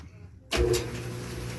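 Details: Kenmore dryer running after disassembly and refitting to fix a squeak: a thump at start, then a steady, even motor hum with the drum riding smoothly and no squeak.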